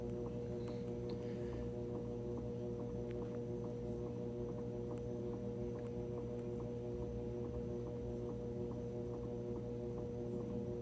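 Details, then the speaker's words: GE washer after cleaning oil off the drive belt, motor and pulley (no-spin, flashing spin light): steady smooth low hum, no slipping or squeal, drum turning evenly at low spin speed before ramping to high speed. "so we're spinning this is still low speed we still have to ramp up to high speed"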